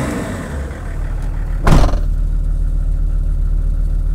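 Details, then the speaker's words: Land Rover P38 with BMW six-cylinder diesel, engine still cool, after new radiator and viscous fan: low steady idle, brief blip, no rushing air roar building with revs; new fan clutch loose as it should be. "hopefully you guys are able to hear the difference here, but that rush, that whooshing noise that the viscous fan was making before whenever I revved it has gone now. So that new viscous fan is loose as it should be because the engine's still cool."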